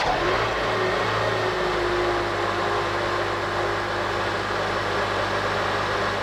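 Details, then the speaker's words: 2006 Honda Element after replacing serpentine belt and tensioner pulley for a squeaky-belt complaint: engine idles smooth and even with no squeal or chirp from the belt; repair confirmed, normal running. "We started it... no noise. Looks like we took care of this customers complaint of squeaky belt."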